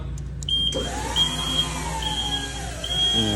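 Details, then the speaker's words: Skyjack 4632 scissor lift elevated about 9 ft, driving slowly after repairing a no-drive-in-air fault: steady electric motor whine with smooth hydraulic hum and gentle pitch shifts; driving normally. "so as you remember it didn't drive in the air now we are elevated probably like 9 ft going slow and I think we are good to go"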